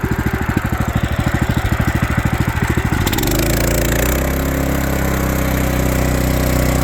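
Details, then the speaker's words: Power King stump grinder after greasing failed grinding wheel bearings: small engine chugs at idle, then revs, wheel spins to a smooth steady hum with no knocking or handlebar vibration; clutch still growls, normal for this type. "Oh yeah. No vibration in the handlebar anymore. This clutch still makes growling noises, but all those type of clutches do that even when they're new. So, but yeah, knocking noise is gone from the wheel, so that's good."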